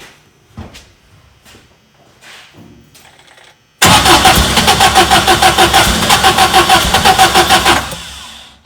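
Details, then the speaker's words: VW Bus with Subaru engine swap, fuel pump relay disconnected: steady cranking about three turns per second with a few weak sputters, never catches; with the pump connected there is no sputter at all, so a fuel-side fault is suspected; crank no start. "you see there it did sound like it has a better healthier sputter like it's trying to start if the fuel pumps connected or running we don't get that sound at all"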